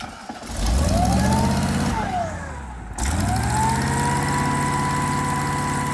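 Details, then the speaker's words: Irrigation pivot pump engine restarted after an oil and filter change: it spins up, sags, then hits a hard thump on restart and settles. Leftover water in the pipe flowed back and slammed on restart, causing water hammer. "I think there was some water still in the pipe that was flowing back. Then when we restarted it, it kind of hit. That's what that sound was."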